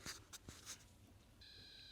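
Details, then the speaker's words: Ford Transit with overnight battery drain: a few handling clicks while wiggling loom wires, then a sudden steady high buzz holds; pulled-out pins likely letting live and switched-live wires touch, turning things back on. "I'm pretty sure them two wires one's going to be live one's going to be switch live they're touching together and turning things back on so it's connected the live to the switch live"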